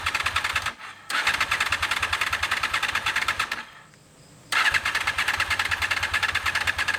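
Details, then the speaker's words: 2001 Honda VFR Interceptor (Gen 5) V4, barn-stored nearly a decade, after a night sitting; two long cranking bursts with steady quick chuff, never catches; previously ran on few cylinders; owner suspects clogged injectors; unconfirmed. "let's see if it'll fire up again maybe uh after night of sitting it decided that uh the rest of the cylinders going to fire up what you think nothing today"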